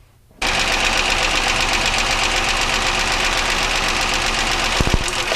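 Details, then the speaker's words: Petrol engine idling with plug leads pulled one at a time using a spark tester, the sound unchanged; fast, sharp, steady ticking knock of about four a second. "so what i'm going to do is just do these one at a time obviously you can hear there's no change in the sound"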